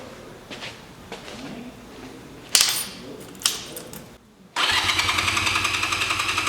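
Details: 1985 Honda Rebel, about 2,000 miles, first start after 17 years stored, fresh gas, oil checked: loud regular starter churning, no firing; cranks but won't start, before choke used.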